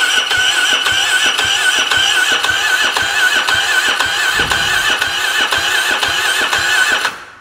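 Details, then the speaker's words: ATV, possibly sunk (soaking-wet filter), with bad-smelling old fuel and a weak battery: fast, even cranking for seven seconds with no firing; owner suspects insufficient fuel pump pressure. "There's a chance this thing might need a fuel pump. That is definitely not enough pressure to start this."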